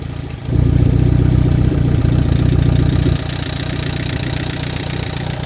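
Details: Chevy Captiva with a bad used replacement engine at idle: deep drone with a steady knock about four times a second, internal engine noise pointing to wear.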